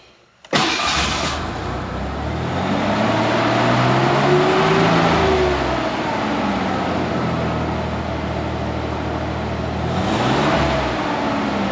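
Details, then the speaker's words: Ford Bronco II after new ignition coil and spark plugs, before new plug wires; owner suspects vacuum leaks affecting idle: revs up and falls back smoother, but the settled idle is uneven and lumpy, with hesitation off idle. "seem to rev a little smoother I like the RPMs to come down it's just the idle is pretty rough still and then going from here it's got a pretty good hesitation"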